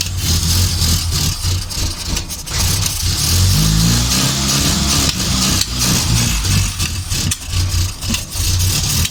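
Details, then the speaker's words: Morris Minor van, first start attempt after sitting, jump-started with petrol poured in: engine catches and revs unevenly in ragged bursts then sags; runs only on poured fuel as no fuel reaches it from the float bowl. "well that's a result i think that run as far as we're gonna go wouldn't it that runs i can't seem to get any fuel into it from the float bowl"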